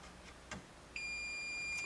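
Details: Bally Midway early-1980s pinball machine stored over 30 years, power off, multimeter diode setting across a fuse in place: quiet background, then a steady high-pitched tone about a second long, the continuity beep showing the fuse conducts.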